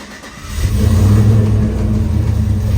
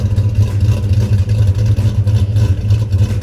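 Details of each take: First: Truck with a 6.2 engine swap, not yet tuned: struggles slightly to start, catches after brief rough crank, then steady even idle without the former cam chop; hard start blamed on lacking tune. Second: Swapped-in 6.2 V8 in a crew cab truck, two years after install, oil pressure over 40 psi, new battery, one clamp missing its nut: deep, even idle with a steady low burble and no knocks or misfires; engine healthy.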